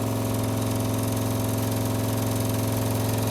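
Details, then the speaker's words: MEP-802A 5kW generator on auxiliary prime and run, testing fuel float module: steady fast ticking hum of electric fuel pump, even, then stops; normal fuel pump operation. "okay you can hear the main you can hear the main fuel pump running"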